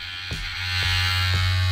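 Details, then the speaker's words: MOZA Mini Mi smartphone gimbal after being mishandled, switched on with phone attached: steady low electric buzz with soft ticks about twice a second as the motor spins wildly out of control; fixed afterwards by calibration in the MOZA Genie app. "so this is what happens when I turn it on now it just spins around wildly even though the phone's attached"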